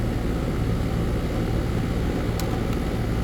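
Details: AC condensing unit running normally after a bad dual run capacitor was replaced (universal Turbo 2000) on a no-cooling call: steady, even low hum with no clicking, rattling or cycling. Compressor had overheated (113–117 °F); it now draws about 10 A, the condenser fan about 1 A.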